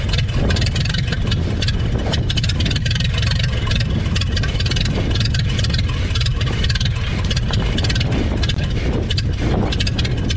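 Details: 1930 Ford Model AA doodlebug four-cylinder, revived after 72 years abandoned in woods: deep, loud low chug with steady rhythm, no knocking or sputter; runs evenly, sounds real good.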